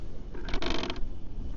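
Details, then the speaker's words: Traction Hobby King Motor WRC Citroen C3 1/7 electric RC rally car backing up and squatting in reverse: a short raspy scraping burst as the tires catch on the body shell. "It's the body. Yeah, the tires are hitting the body. Wow, that's no good."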